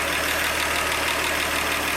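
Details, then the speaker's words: 1948 Chevy after valve lash adjustment and timing set to flywheel mark: even, steady idle, probably a little fast, no knocks or misses; sounds healthy. "we're probably running a little fast [Applause] i could slow that down and recheck it but man it sounds good how it is"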